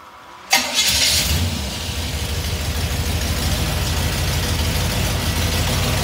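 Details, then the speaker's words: Small-block Chevy V8 with an Edelbrock carburetor, starting before the idle mixture screws are adjusted. Quick catch, then a steady, smooth idle with no misses or knocks. Normal start and idle. "you hear the engine started out and smooth"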